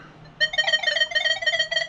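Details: Nokta Legend metal detector testing gold rings versus pull tabs: a clear warbling mid-high tone starts suddenly and holds steady over a second, a solid target signal. Normal target tone.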